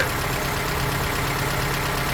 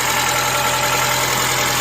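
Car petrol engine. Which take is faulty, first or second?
first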